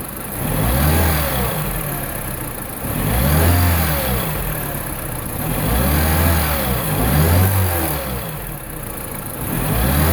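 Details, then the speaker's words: 2009 Mini Cooper R56 non-S after replacing the intake silencer box with a VPN 802 open intake tube: idle with throttle blips about every 2.5 seconds, deep throaty intake roar, only slightly different from stock; normal engine. "I don't know if it sounds that much different. It sounds a little bit different, but I guess the truth will be in the driving."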